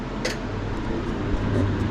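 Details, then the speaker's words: Victron Phoenix inverter feeding a Multiplus in series: low hum swelling and wavering as a portable air conditioner's compressor loads them, output dropping out and cycling endlessly; owner suspects too much inductive load. "it makes this weird noise as if the power output again drops out again see gone and it keeps cycling that until forever"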